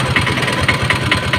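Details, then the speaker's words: Piaggio Ape auto with BS2 Greaves diesel engine at idle: sharp metallic "chita chita" ticks, about four or five a second, over the low thrum, a valve tappet rattle corrected by adjusting the rockers. "చూసారా friends engine లో అయితే ఒక రకమైన శబ్దం వస్తుందండి ఒక రకమైన గలగల గలగల అన్నట్టుగా చిత చిత చిత చిత అన్నట్టుగా వస్తుంది"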